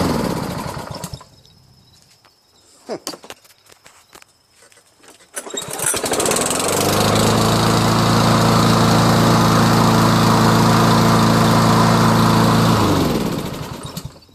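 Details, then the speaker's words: Toro SR4 mower with Loncin clone engine and fabricated auto choke air vane, first cold start in the morning after several pulls: clatter, then catches and settles into a steady, even drone; normal running. "It's very rare to do that, and as you can see, it seems to run just fine."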